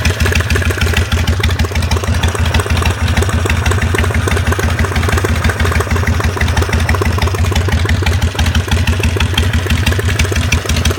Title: 2004 Harley Sportster knocking Noise